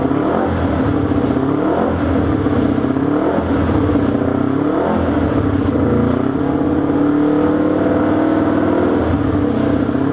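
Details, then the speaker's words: Honda CB350 twin on first start-up after a two-year build, following chain install and ignition timing: revs up and down repeatedly, pitch sagging and stumbling on hard throttle openings; owner says obviously lean, chokes when given a handful. "I mean it's obvious lean cuz when you give it a handful it chokes a bit"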